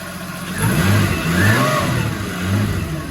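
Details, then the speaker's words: Holden VL with newly fitted RB30 turbo engine, after engine and gearbox install: engine revs up and settles back cleanly twice with a crisp, steady note, now running much better than before; normal running. "So, but hey, on a good note, it's running heaps better."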